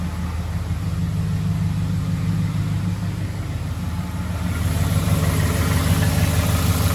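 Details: 2011 Ford F-150 5.0 V8 idling with a low, even pulse and a faint dull knock about three beats a second; suspected rod knock, not confirmed.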